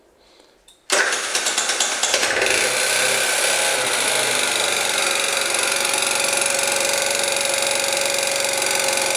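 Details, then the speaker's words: Scooter engine with new crankshaft, piston (0.04 mm clearance), camshaft, chain and tensioners still runs with a bright, ringing metallic knock in time with the engine; later traced to the piston. "такой вот звонкий к идёт из двигателя непонятно почему В общем причину не удаётся установить что он стучит"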